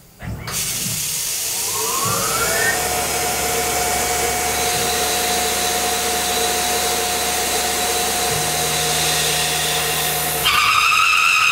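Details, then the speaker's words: 1/2-inch roughing end mill plunging and interpolating a pre-ream hole: harsh screech climbing as the cut starts, then a loud high squeal; chatter from heavy engagement, about 270 degrees of the tool, on the first pass. "So I know the beginning of that sounded pretty horrendous, but that's because when it's plunging in to a half inch hole, there's so much engagement as it makes that first pass"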